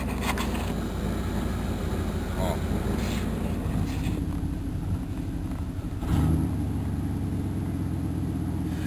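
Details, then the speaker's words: 1991 Chevrolet Caprice with TBI fuel injection, after sitting in a junkyard about 1.5 years: uneven, lumpy idle that sags and wavers as if about to stall, then catches briefly; it wants to die when left idling, owner suspects an electronic fault. "See, she wants to die when you try and let it sit at idle for a bit."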